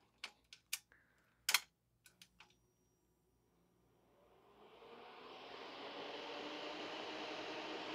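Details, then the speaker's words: Data General microNOVA computer starting up after both roughly 50-year-old fans were replaced with new ones; clicks and switch clacks, then smooth rising airy whoosh with no buzz; much quieter, good airflow, faint high-pitched whine. "That's noticeably less quiet. A lot less uh on startup, too."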